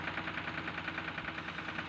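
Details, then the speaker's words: Diesel tractor in a village, owner complaining of abnormal engine sound: rough, lumpy idle, running on only two cylinders per the mechanic, with poor diesel mileage; an injector pipe was found wrongly fitted; misfire. "और tractor दो cylinder चल रहा है और दो centre चलने की वजह से ट्रैक्टर दबी राय डीजल एवरेज भी सही नहीं आ रहा है"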